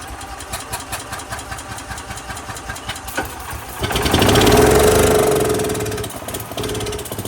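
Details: Gas golf cart stored over winter with 5 gallons of old fuel and no stabilizer: single-cylinder idle thumping about 3.5 per second, a smooth rev, then back to steady idle; engine running fine.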